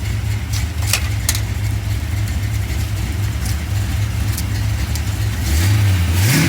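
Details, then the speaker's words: Stock-engine carbureted V8 coupe (being fitted with MegaSquirt for future nitrous), full throttle: deep, even roar pulling cleanly from primary to secondary transition with no stumble, hiccups or flat spot. "transition that's all the way to the floor y'all perfectly smooth no hiccups no nothing"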